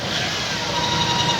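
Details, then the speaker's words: 1998 Toyota Indus Corolla, engine started and revved: thin steady high whine over the engine; mechanic suspects a belt or a belt-driven unit (alternator, water pump or power-steering pump) and plans to remove belts one by one; source unconfirmed. "ये इसका sound है इस sound को हमें check करना है मुझे तो ऐसा लगता है कि इसकी ये बेल्ट की आवाज है या इसका कोई ये यूनिट आवाज कर रहा है"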